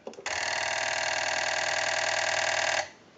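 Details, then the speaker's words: TP6A military rotary desk telephone after wiring and connection cleanup, ring cycle sent from analyzer: steady buzzing clatter of the ringer mechanism for about 2.5 seconds, no bell tone; normal ringer operation. "now that we know that this telephone is ringing in on a ring cycle and you hear the mechanical noise from the Silla nodes and actually not the bells at all"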